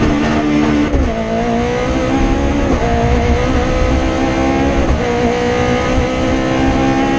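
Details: Rally car on the Padmore Village to Golden Grove stage, Rally Barbados 2017, with a strong, clean rising pull through each gear, crisp shifts and no stumbling: a healthy engine at full throttle.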